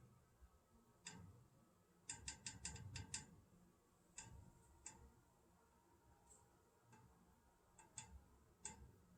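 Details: Old house plumbing: sharp taps, single or in bursts of five or six, occurring randomly, mostly early morning; a thermal expansion tank did not help, and replacing the pressure reducing valve stopped the knocking.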